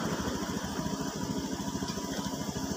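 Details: Honda Scoopy scooter (earlier sputtering with MIL lit) after fitting the O2 sensor: even, quick putter at a steady idle around 1600 rpm, engine temperature 68, injector 2.8 ms, no misses; running cleanly, normal idle.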